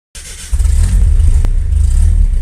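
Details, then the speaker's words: Normal start after the repaired starter motor was reinstalled, fixing earlier Bendix slipping: the starter engages cleanly and the engine catches at once, building to a steady rev with no slipping or grinding. "al momento de encender el vehículo el patinamiento se ha ido se escucha un encendido normal"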